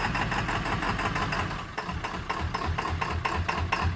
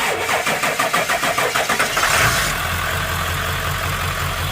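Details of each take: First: Ford F-250 7.3 Powerstroke diesel run with low oil, heard from under the truck: rough clattering idle with an uneven, stumbling beat and loping swells; cause not confirmed. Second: Ford F-250 7.3 Powerstroke diesel that had low oil and ran badly, restarted after about 20 miles on an additive: it cranks roughly three beats a second, catches cleanly at about two seconds and settles into a steady, even diesel idle.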